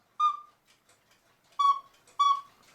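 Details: 1940 Lux cuckoo clock with a one-day double-weight movement: three clean whistled hoots at nearly the same pitch, with crisp starts, after the bellows top was reglued and the extra air holes were covered; the bellows and whistles sound properly.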